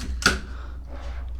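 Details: Mamiya 645 medium format film camera after loading film and winding to frame one: a single crisp mechanical shutter clack over quiet room hum, clean and snappy; normal shutter release.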